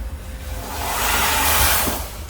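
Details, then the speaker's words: Mercedes council HGV, ignition on and foot brake pressed: steady airy hiss swelling and easing over truck background, an air leak from the rear, traced to a brake chamber fault. "Oh yes, that's definitely an air leak coming from back somewhere."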